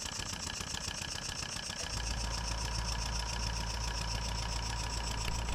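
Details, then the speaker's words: Stuart No.8 horizontal model steam engine after refurbishment, test run on compressed air with newly fitted oilers on main bearing caps filled and working; steady rapid chuffing over soft air hiss, no knocks; normal running. "This clip shows the engine running on air from above. I filled the oilers with oil before running the engine and they are working very well."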